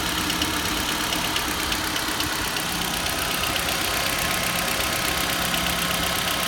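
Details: Nissan Juke HR16DE 1.6: a light, quick, slightly uneven ticking at 1000-1200 rpm during warm-up and when hot above 1000, none at 800 idle or 1500. The dealer calls it normal injector noise, which the owner doubts.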